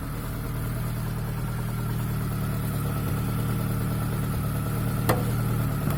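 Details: ZAZ Chance 1.3 petrol engine at steady idle: low rumble with an uneven knock underneath; engine knock, cause not pinned down.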